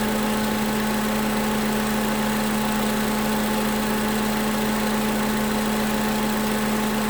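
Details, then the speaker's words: 2011 Toyota Camry 2AR-FE after lifter and rocker arm replacement, no leaks: revved to about 1600 rpm and released, settles into a smooth, even idle with no stumble, ticks or hunting; coolant later reached 230°F. "Alright, so as you heard, brought up to 1500. Well, I got up to like 1600. Let it go, and it didn't stumble at all."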